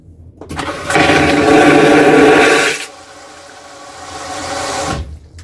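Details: P&O cruise ship Aurora vacuum toilet: a loud two-second rushing suction roar, then a quieter refill hiss that swells and cuts off; normal flush.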